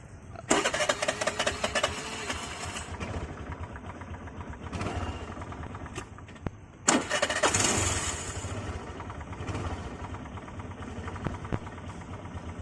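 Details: Access 125 scooter on starting: harsh rattling grind on each start attempt before an uneven idle; noise worsens over time, starter drive suspected worn, not confirmed.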